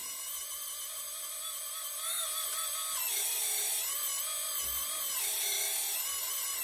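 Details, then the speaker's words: RC hydraulic Hidromek excavator gear pump whining high and wavering, roughening as pump speed rises and the boom is moved; cavitation with air bubbles because tank oil is too low for the pump to draw. "that's because there is oil in the tank but every now and then there isn't enough for the pump to suck and hence you're getting this phenomenon coming in"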